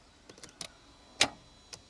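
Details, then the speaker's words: Mercedes W203 C180 abandoned since around 2004, with a fresh good battery and coolant added; the dash shows SRS and low coolant warnings. Key turned: a few sharp, irregular starter clicks with no cranking at all. "So, it's not cranking at all. >> We thought it was Yeah. You'd think flat battery, but that one's good."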